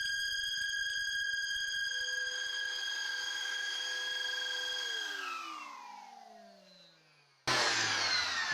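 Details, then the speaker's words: Cyclone dust separator connected to a vacuum cleaner via an uncut 6 m hose: loud, steady high whistle with piercing tones while running, dropping in pitch at spin-down; owner suspects the hose. "такой свист он раздаёт ужасный всё работает но сильно свистит"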